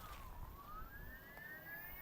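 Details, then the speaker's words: Crosser Cargo electric cargo vehicle, parking released, low-range reducer engaged: thin motor whine dips then climbs in pitch while it stays stationary; drive not engaging because the reduction gear pin is misadjusted. "Снимаем с паркинга, газуем и слышим, что он воит мотор, но он с места не двигается."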